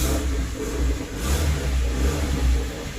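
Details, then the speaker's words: Hyundai Matrix 1.6 automatic, cold engine in the morning: revs up holding a deep steady drone in D while the car won't move, same in R; planned oil and filter service and gearbox cleaning. "saya tekan minyak guys saya tekan minyak dalam kedudukan di pun tidak pandai jalan"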